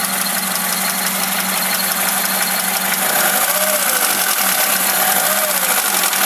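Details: VAZ Classic (Lada) engine with chain tensioned and valves adjusted: irregular light knocking on throttle release over a hissy background, nearly inaudible once warmed to operating temperature; cause not pinned down, chain seats loosely on the sprocket in places.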